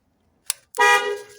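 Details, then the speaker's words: 1970 MGB GT horn fault: grounding the horn wire sounds a clear, steady near one-second blast, so horn and forward wiring work; fault lies in the steering column contact ring, which is damaged and not touching its tag. "we got on, as you can hear. So obviously the wiring from there forwards is fine, so it's up in here, but it's to do with that."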